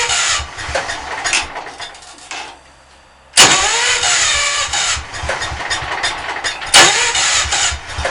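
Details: B100 engine not run more than 5 minutes in a month or two, cold block, sometimes hard to start: long uneven cranking bursts that stop and restart, never catching to a steady idle; hard starting, extended cranking.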